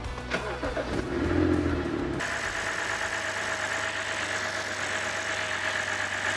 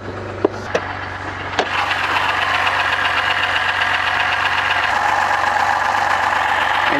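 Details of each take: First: BMW 528i, N52 inline-six, after a repair for a grinding noise using an improved replacement part. The engine catches and settles into a steady, even idle with no grinding underneath; it runs clean and healthy. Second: BMW 528i with N52 inline-six, 120,000 km, tuned with a loud variable exhaust, bought without inspection: after a few clicks it settles into a rough idle with a dense, raspy grinding from inside the engine. Internal grinding noise at idle.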